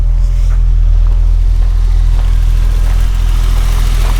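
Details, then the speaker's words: BMW E30 Touring, 176,619 on the odometer, cold start, sport-style exhaust: smooth, even low hum with a steady beat and no ticks or stumbles; starts right up, normal idle. "And it runs great. So it's got this cool kind of sport looking exhaust that comes outside with. Sounds really good. So it's running great."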